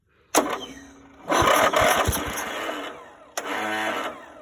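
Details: Greenfield Model 11 ride-on mower, Briggs & Stratton 11hp, sat in pieces 5+ years, fuel down the carburettor: two bursts of rapid, even cranking with no catch; owner suspects a weak battery, cause not confirmed.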